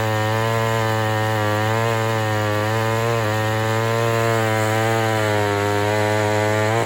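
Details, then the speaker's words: Homelite Super XL 923 82cc chainsaw with compression release, after tuning tweaks, final test cut: strong steady high buzz under load through the cut, drops cleanly at the end; running perfectly. "The 923 is running perfectly right now. I am not having any issues."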